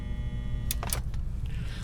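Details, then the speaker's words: Marantz 2240 receiver on a current limiter with antenna and speakers connected: low hum and thin buzz, then sharp clicks as the protect relay fails to engage; possible leaky transistor, shorted capacitor or bad contact. "that sounded like i heard a buzzing but it sounded almost like the relay trying to come in but not able to come in"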